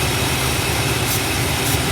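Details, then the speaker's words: 1967 Imperial Le Baron V8 with lean surge at cruise, warming after cold start, idle mixture richened: low steady burble with no surging or stumbling; idle smooth and much improved. "all right the rich in the fuel mixture at idle which has helped tremendously"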